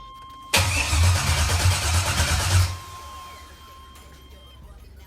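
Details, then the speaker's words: 1978 Chevy Caprice Classic with rebuilt 5.3 LS swap, first crank with old spark plugs and about 3 quarts of oil to semi-prime: starter turns the engine over with a steady, even churn for about two seconds, no knocks or scrapes; healthy cranking. "I'm going to go ahead and crank it over so you guys can hear it"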